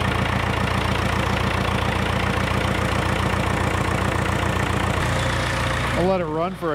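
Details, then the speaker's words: 1942 International TD6 crawler diesel idling on gasoline start mode (carburetor and magneto), warming up before switching to diesel; an even, steady low idle with a soft regular chuff about three or four per second, no knocks or misses. "I'll put it in gas mode that'll let the carburetor fill up with gas I'll wait about 30 seconds and can start it up"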